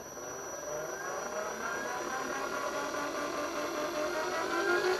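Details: Brushed DC motor on a 250 W PWM speed controller (9–50 V), run at 12 V: steady whir with a faint thin high tone that climbs as the throttle rises; normal operation.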